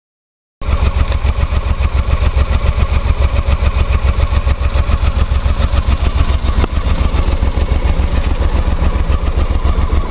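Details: Honda Africa Twin twin-cylinder motorcycle idling after clutch bearings were changed and the clutch back springs stretched: steady lumpy beat with a light metallic rattle from the clutch side; clutch noise.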